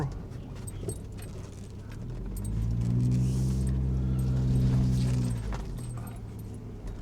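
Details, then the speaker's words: Volvo 850 T5 wagon driving while coming up to temperature: a low moaning groan swells for about three seconds as the car slows. Brake groan, likely surface rust on the rotors after sitting. "this is nice except for the brakes here Here Comes you ready you hear that"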